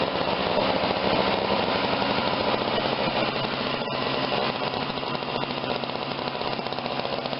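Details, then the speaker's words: Snapper 17-inch snow thrower with Tecumseh small engine, running after repairs, primed and started: single-cylinder steady rapid chug about four beats a second with no misses; normal running. "I think it works real good."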